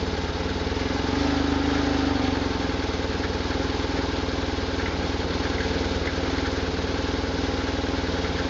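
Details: 1999 BMW R1100RT-P boxer twin idling with loose busy rattle from the engine, unchanged in first gear.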